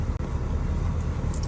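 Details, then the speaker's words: Mercedes W210 on first kilometre after power steering repair (cracked hose replaced, black fluid changed): low steady cabin rumble, power steering no longer whines, steering lighter. "гидроусилитель не вижит, лишних звуков не издаёт, руль стал мягче."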